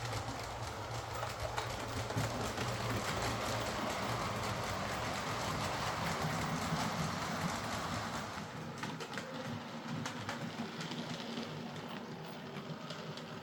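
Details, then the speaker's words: Hornby Princess Coronation class Duchess of Devonshire model loco after repair; a failed shop repair had left it running badly, maxing amps and smelling of burning: even mechanical whirr with light steady clicking, no binding or grinding; now running nicely. "So there we are, that's this Hornby Duchess of Devonshire now running nicely."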